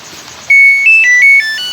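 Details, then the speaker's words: Samsung automatic washing machine with a can't-start control board fault, switched off after failing to start: six clear stepped-pitch electronic beeps, the normal power-off tune. "Ganyan lang siya. So, yan i-off ko muna uli."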